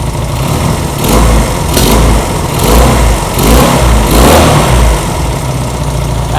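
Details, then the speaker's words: Honda CB200 with aftermarket carburetors after carb adjustment, idle set about 1,500 rpm: engine ticks over at a fast, fairly even idle with steady low thump and no misses; normal healthy idle. "actually sounds really healthy. All right, perfect. Yes. Cool. So, I think that actually sounded really good."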